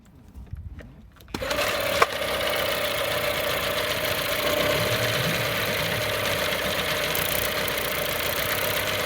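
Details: Johnson 9.9 outboard starting and idling with an uneven tapping about four a second over a steady mid-pitched drone; weird abnormal noise, cause unknown.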